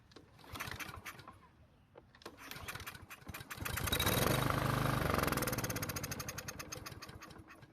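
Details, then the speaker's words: Husqvarna walk-behind trimmer that won't start with gas in tank: cranks, catches on fuel sprayed into carburetor throat, revs a few seconds then sags away; fuel not getting through, a fuel or carburetor problem. "well unfortunately it didn't start so we're gonna have to keep looking for a problem"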